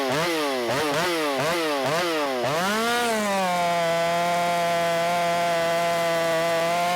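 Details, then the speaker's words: Ported Shindaiwa 757 chainsaw with advanced timing, 24-inch bar, 8-pin sprocket, mixture richened half a turn after lean white plug: pitch sags and recovers while cutting, then clears to a high scream; bogging under load, owner thinks it needs a 7-pin sprocket. "one thing I definitely feel like it needs that seven pin sprocket on it I don't like it whenever I have to baby it through the cut and I did have to baby it a little bit through the cut right right there"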